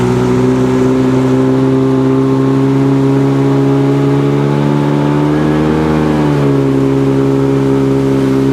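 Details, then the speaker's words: Seadoo GTX DI watercraft on a test ride after an air injector replacement, water temp 52–58°: steady high drone at full throttle, pitch flattening; tach shows only 6,200 rpm, so it is not reaching full rpm and the cause is still unknown. "I don't know if that's not calibrated right, but I'm looking at the tach. I'm only getting 6,200 out of it."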